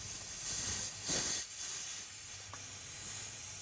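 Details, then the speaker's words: Toyota Supra of about 900 whp making only 21–22 psi boost against a 29 psi target: a steady airy hiss from a wastegate fitting that wasn't seating fully; fix is returning to the original swivel fittings. "it is leaking bad bad so we got to fix that so here's what I removed this fitting right here this is what was on the car and apparently wasn't seating the whole way"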